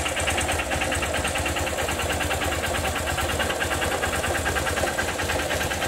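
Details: Honda Titan motorcycle at idle: a fast, busy metallic ticking and knocking over the exhaust beat; noticed a week ago, owner suspects a knocking connecting rod (biela), unconfirmed.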